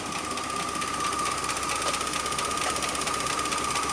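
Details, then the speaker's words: Engine heard through the doghouse after transmission fluid was put in the carburetor, radiator cap off: uneven, lumpy idle with irregular patter under a steady high whine, same roughness at higher rpm; worn rings, owner suspects fuel injectors or spark plugs. "I don't know. You hear how it's running. I can give it some gas and it'll run the same, just higher RPM."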